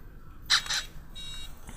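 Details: Large-scale RC fifth-scale 2-stroke gas engine setup at about 10°C, FlySky FS-iT4 transmitter on first: two short high beeps a quarter second apart; receiver's normal power-on check tone.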